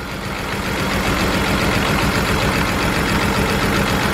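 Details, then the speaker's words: BMW 328i running rough: uneven, stumbling, shaking idle while plugs are disconnected one by one; cylinders three and four show no change, indicating a multiple cylinder misfire, with a plug, bad injector or blown head gasket suspected. "number four no change whatsoever we got an issue with three and four which is not good at all"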